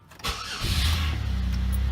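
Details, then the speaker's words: 2004 Chevrolet Impala after fuel pump replacement, the old pump having failed intermittently in winter: brief crank, then the engine catches at once and settles to a steady, even idle; starts cleanly. "fired right up"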